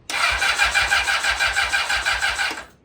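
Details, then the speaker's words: Honda CBR600RR, 10,992 miles, brief start attempt after engine repair with no coolant in it: steady cranking at about three beats a second that never fires; it sounds like it isn't getting fuel, and a weak battery is also suspected. "It's giving me an oil wipe and it sounds like it's not getting gas."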